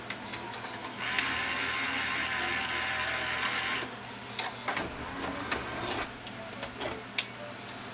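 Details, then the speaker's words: 40-year-old Toshiba VM42 Betamax mono VCR with a jammed tape: whirring loading mechanism, then ragged clicks and snaps at the end of loading travel, as a cracked black plastic gear slides back and forth on its shaft. "But there's not a lot I can do about that because this black gear is sliding back and forth on the shaft because it's got a crack in it."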